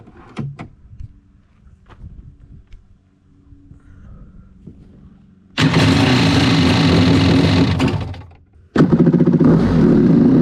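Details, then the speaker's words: SXR800 Bullett racing hull jet ski, PJS engine, after drive shaft failure with a custom shimmed, wedge-fitted part: engine catches, buzzes steadily, cuts out and restarts; no heavy rattle or shake, runs reasonably. "So, not sure how much it'll really shake once it gets going, but it's at least somewhat reasonable right now."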